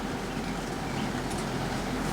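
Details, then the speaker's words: Lasko 3720 WeatherShield box fan, dusty, on low setting, gives a steady airy whoosh and low hum. The bearings rattle when first started, then quiet down within a few minutes as they warm up; now running normally. "it's pretty much quieted down already it only takes a few minutes for the bearings to stop making that noise"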